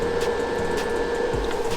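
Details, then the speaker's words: 2019 Keystone Cougar 368MBI RV power converter, third replacement, battery reconnected: smooth steady whir with constant hum, no rattle or scrape, from the converter cooling fan, output 13.7 V; normal fan running. "So the fan must be the thing that's broken on this thing, because you can clearly hear the fan going."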